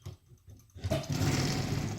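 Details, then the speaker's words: CO-Z 12x15 6-in-1 heat press: rough, growling metal scrape as the handle lifts; parts grind together when pressure is released, making it hard to raise, with uneven pressure from a bent, angled platen. "Secondly, when you release the pressure, this and this grind together, so it's very difficult."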